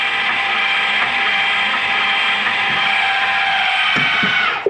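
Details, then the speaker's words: 2018 Forest River Ultra V 2618 RV, stabilizer jacks lowered on an already-level unit until taut: steady high motor whine for several seconds then cutoff; legs may move unevenly but self-equalize; normal operation. "sometimes one legs are going down before the other give a second they'll push up to each other"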